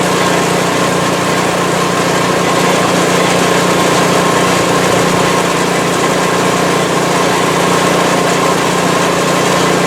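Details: PowerSmart 24" snowblower in its ninth season, first start for 2024–25 winter, running after a sidewalk test while fuel is burned off; even, steady engine drone with no misses, knocks or surging, running fine.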